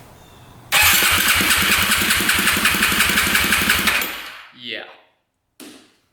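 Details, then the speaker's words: 2008 Yamaha YFZ450 single-cylinder quad on a compression test after setting the timing and adjusting the valves. The starter cranks at about four strong, even pulses per second for three seconds. Compression is now 160, so a tight intake valve had been the problem. "that was the problem wow now we're at 160 so that intake valve was definitely tight"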